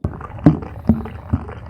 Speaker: it's likely a clogged air conditioner drain line and that's an easy repair